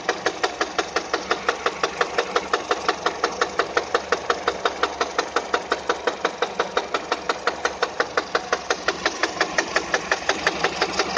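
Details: Peugeot 207 engine at idle: a sharp, very regular tapping of about three beats a second runs steadily throughout; engine knock of unknown cause.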